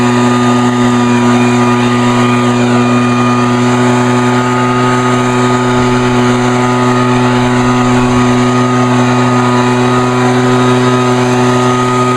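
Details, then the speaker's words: Vintage Echo PB-400E backpack blower throttled up by the left-side lever: a loud, steady high-revving drone holding an even pitch with no misses or surging. Normal full-throttle running. "not too bad yep it's a it's a loud one but it's a good one though"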